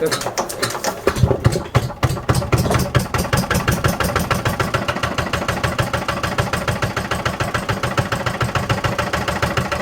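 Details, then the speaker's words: 1955 Lister LD1 single-cylinder diesel, 2 HP at 1000 rpm, before cosmetic restoration: steady even thump about three beats a second, no knocks or misses, starts fairly easily; normal running. "Yeah, I didn't give her a long run because she does bounce on the floor and they can hear it in the house, so yeah. So that's the LD. She does run, starts fairly easy, so just give her a cosmetic restoration"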